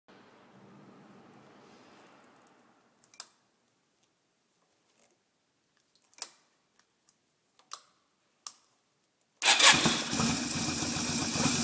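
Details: 1990 Yamaha Virago XV250 Route 66 cranked after a longer roll with the engine off, about -7°C in an underground garage, not trying to start: quiet rolling and clicks, then about three seconds of cranking with a thin, steady whistle.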